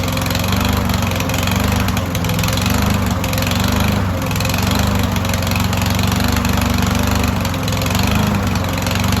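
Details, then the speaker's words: Long barn-stored Yardworks mower, first start with air cleaner off and starting fluid, then running off the carb bowl: small single-cylinder running fast with slow uneven speed swells every couple of seconds, a little smoky, hunting before settling; stayed running. "So it was a little kind of hunting for a spot kind of until it kind of got its feet wet, I guess, a little bit. A little smoky in here, but not too bad. Fired up, stayed going."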